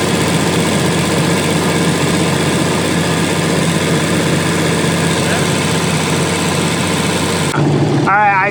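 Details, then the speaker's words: 12,000-hour Liebherr PR731C dozer diesel, throttle wide open near injection pump stop: steady, even roar with no surging or misses; rated 2200 rpm, reaching about 2150 rpm. "set it uh it wants 2200. I maybe got 2150 out of it."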